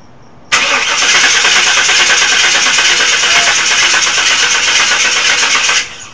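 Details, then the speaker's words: Chevrolet Tahoe that won't start, cranked after a one-time spray of starting fluid: five seconds of steady starter whirring that never catches or fires. The owner suspects no spark; the cause is not confirmed. Cranks but no start. "We're getting fuel now because we're putting them in there. But there's no spark."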